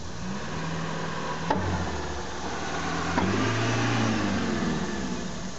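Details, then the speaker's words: Honda with a very loud rear clunk. Heavy dull clunks are heard with the engine running as the car is put into gear. Cause: a rotted rear subframe holed and cracked all the way through, plus a broken rear strut mount. "well if you guessed a rotten rear subframe and a broken strut you would have been correct"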